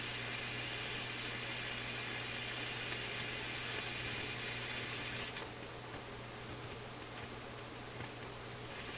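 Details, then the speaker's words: Philips console stereo tube receiver checkout on reduced line voltage, before any tubes wiggled: steady hiss and hum with irregular fine crackle from the speakers; crackling output, cause not yet found. "You hear some crackling. Oh, this is not very good."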